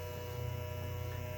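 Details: 2011 Toyota Camry power window motor, run with its up/down wire jumped to ground: a steady, even low hum at constant pitch with no catches or grinding; normal motor operation.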